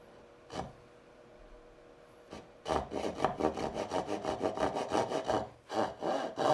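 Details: Hand-cutting dovetails in basswood with a saw: even back-and-forth strokes, about three per second, with a slight rattling buzz on each pass. The board chatters because it is clamped too high in the vise.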